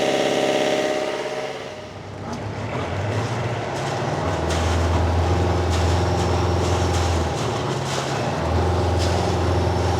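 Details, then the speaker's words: Boat diesel after turbocharger repair that had caused heavy smoke and no high rpm, new fuel filter: dips then climbs and holds high revs above 2,000 rpm with steady note and clean spool-up, no smoke or surging; turbo working normally. "well I think we should call that a at least a temporary success and a temporary win because the engine now does seem in fact happier uh the turbo is definitely making turbo sounds"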